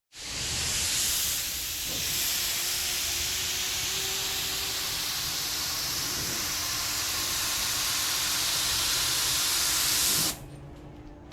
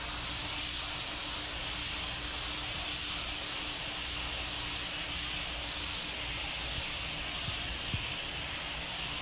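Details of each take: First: Spray gun at about 30 lbs pressure priming an 81 Corvette hood blows air only, sending no primer; steady unchanging hiss. Vent suspected clogged; pliers fetched, unconfirmed. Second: Normal spray gun operation: just-cleaned Harbor Freight gun at 30 PSI priming an 81 Corvette hood; steady, even rush of air and atomised primer, constant, stopping cleanly at the end.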